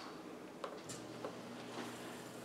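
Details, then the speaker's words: Frigidaire Gallery dishwasher, about 7 years old, after replacing the electronic control board on normal wash: a few soft ticks, then a steady hum as the wash starts. The faulty board was the problem. "and it looks like we got a win. So it looks like the circuit board was what our problem was. So a running dishwasher is a happy dishwasher."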